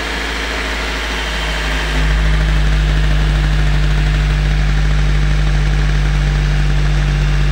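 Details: Daihatsu Gran Max, after repair of rough knocking sound when revved and oil pressure switch replaced, just started, oil light off, left idling to warm before revving: deep steady hum firming up after seconds, no knocking or misfire; healthy idle.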